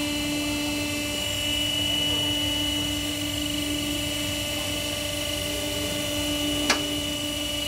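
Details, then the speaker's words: Toyota Sienta idling after water pump assembly replacement, its gritty bearing having caused the rough noise; even steady hum with no grinding or rattle apart from one brief click; engine back to normal and smooth. "setelah kita lakukan perbaikan penggantian atau mesin kembali normal tidak ada suara kasar"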